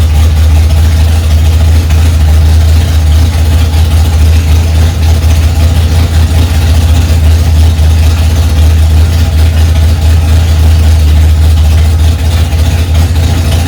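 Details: 1965 Ford Mustang, freshly rebuilt 289 small-block V8, cold on its first start, mixture screws two turns out: deep, steady low rumble with an even beat, no tapping or misfire; holds a healthy fast idle.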